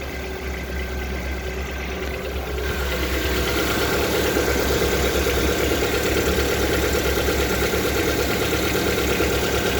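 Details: Lada Vesta engine at idle with a regular knock near three per second that firms up as the engine settles; internal engine knock, cause unknown.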